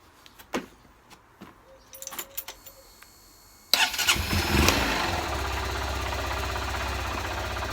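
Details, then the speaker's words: Honda CBF125 after stator replacement (battery had not been charging): a few clicks, then clean catch into a steady, even idle; normal start. "that's a good start. It started."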